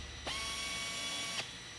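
About a second of air-motor hiss with a steady high whine, starting and stopping cleanly: normal pneumatic tapping.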